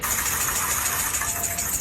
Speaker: Hôm nay tôi sẽ chỉ cho mọi người cách nhận biết lỗi bộ phận trên xe qua tiếng ồn bất thường tiếng gõ cộc cộc xi